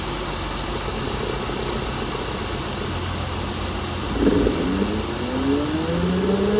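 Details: Chrysler Pentastar 3.6L in a 2017 Dodge Ram 1500 regular cab (labelled 2016), with massive cranking noise on start; settles into a rough, uneven idle with faint irregular clatter and a rising whine as it comes up, abnormal idle noise, cause unclear.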